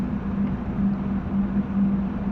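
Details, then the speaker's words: Panasonic air conditioner compressor, which was previously loud and would not start, now runs with a steady, smooth low hum after compressor oil and refrigerant were added, drawing 3.7 A of its 5 A rating, working normally. "ตอนนี้แอร์Panasonicกลับมาทำงานปกติก่อนหน้านี้เปิดไม่ได้ครับ"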